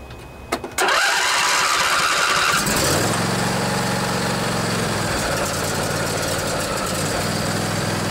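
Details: Craftsman DYS 4500 riding mower, 24 HP Briggs & Stratton Intek twin, started after storage and a full service with the tank cleaned and the drained carburetor refilled by the fuel pump. It cranks briefly, fires, then settles into a steady, even run with no misses or knocks.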